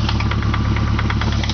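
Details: Nissan KA24E engine at steady idle with a sharp, even knock of roughly ten per second, sounding like a bottom-end rod knock.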